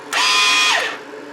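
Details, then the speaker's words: Chicago Electric ~125 A flux-core welder converted to DC, after repairing a fire from overheating: quick high-pitched wire-feed motor whir spinning up, running evenly and winding down with the feed set all the way up on 10; wire feed working normally at full speed. "you can hear the feed is working it's all the way up on 10."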